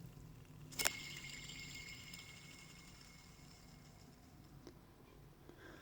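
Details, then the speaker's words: Original idler pulley removed from a 1994 Mazda RX-7 (FD), spun and shaken by hand: sharp flick, then thin gritty whir fading over three seconds, chatter from worn bearings inside the pulley. "however when you shake it you can actually hear a little bit of chatter coming from the bearings inside the pulley"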